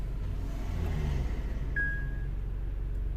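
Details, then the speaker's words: 2012 Honda Jazz 1.2 petrol misfiring on cylinders 2 and 4, coils and injectors already swapped: low lumpy idle, about four pulses a second, dead cylinder; fault followed swapped injector wiring, confirming failed ECU injector drivers. "as you can see now my fault moved to injector one so no questions uh that those drivers are bad"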